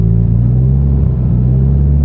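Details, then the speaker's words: Subaru STi (grey, freshly built engine), fully warm after ~15-mile drive, holding steady 2000 rpm: deep even boxer rumble, no hunting or surging; thicker 20W-50 oil raising oil pressure to the cam gear believed to have fixed the problem, possibly a band-aid. "look at that my friends steady as could be it might be a band-aid i don't know if you consider that a band-aid or not"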